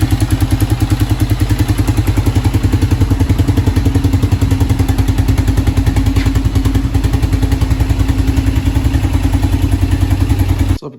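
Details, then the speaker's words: 2006 Kawasaki Brute Force 650 ATV engine: heavy low thudding knock about three times a second riding steadily over the idle; deep internal engine knock, cause not confirmed. "welcome back to the channel today we got a new four-wheeler in here so 2006 kawasaki brute force 650 as you can see there um it's got a pretty bad knock just like the last one that you saw before this"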